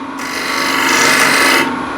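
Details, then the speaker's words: Wood lathe, dull scraper on chestnut end grain: dry, continuous rasping rub with vibration and no crisp cutting; light touch removes nothing, heavy pressure gives only dust and risks a catch. "so I'm not actually getting anything off oh here here I have something but if I just use light touch then nothing happens and I got vibration as well"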